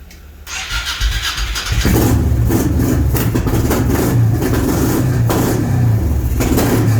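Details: Honda Shadow V-twin first start since 2019 after sitting with gummed carbs, stale fuel and a burst battery, run on fuel poured from a funnel: cranks, catches within two seconds, then settles to a loping, slightly uneven idle; starts and idles.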